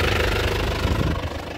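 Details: Isuzu Panther LS Turbo 2017 diesel, about 130,000 km, at idle: steady low even rhythm with no misfire or stumble; vibration quiet, no shake or limp, nozzles and pump judged good; normal healthy idle.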